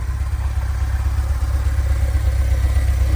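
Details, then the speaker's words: Stock 2.1L Vanagon engine warm idle in icy weather: low steady even thrum, no stumbling or misses; runs rough, knocks and bangs when cold and sometimes cuts out while driving (owner unsure, maybe ECU), but normal once warm. "now that it's warm it's running"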